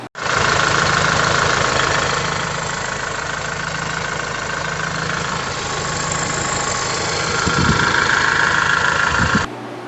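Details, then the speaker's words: Diesel tractor idling after repair and programming by a technician; steady, even idle with the usual light diesel clatter and no knock or miss, running great now. "It's still got a kind of a clatter noise there, but that's just kind of how diesels do."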